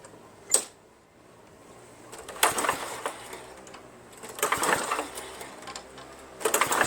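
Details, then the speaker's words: Lawn-Boy Insight 10682 mower, Tecumseh 6.5 engine, no air filter, starting spray used: four recoil pulls with rope whir and rattle, no firing; pulls feel like no compression, owner also suspects no spark. "it feels as if there's no compression I mean that's what it feels like"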